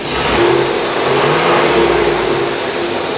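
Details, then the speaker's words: 2004 Chevrolet Avalanche 4x4 at idle, belt and alternator already replaced: thin, wavering squeal coming and going over the engine; owner suspects a bad idler pulley or the new alternator. "I have replaced the belt I've replaced the alternator I'm not sure where that sound is coming from"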